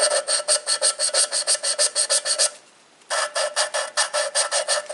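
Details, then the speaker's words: Lapping a valve on a Ford 550 TLB diesel backhoe head with a drill: even gritty rasping strokes, about five a second, pausing then resuming, growing quieter as the grinding compound breaks down and the seat gets smoother. "right there the sound of the grinding compound got quieter."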